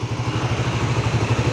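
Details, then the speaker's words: Suzuki GSX-R150 with a stock engine after more than 6,000 km of solo touring Sumatra to Java, no overheating, its usual tensioner sound reduced. Even, quick idle with a soft low hum and no ticking or chain rattle; smooth and healthy. "memang motor Suzuki ini suara mesinnya halus terus juga Jose mesin nyetok ya performanya Mantap"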